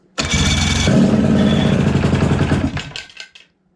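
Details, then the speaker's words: 1989 Johnson 35 hp two-stroke outboard that sat 15 years, throttle wide open, fed carb cleaner: rapid, uneven firing for about two seconds, then sputters and dies. Spark and compression are present. "just like that just like that folks fired up doesn't smell the greatest i wouldn't recommend doing it with the carb cleaner for a long time"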